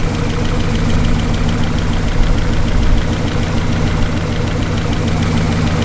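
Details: 1968 Lincoln Continental sedan V8 idling after about 10–15 minutes: light, fast valve-train tick over low rumble, steady with engine speed; owner suspects worn lifters, better at idle than before but still sounds off under load.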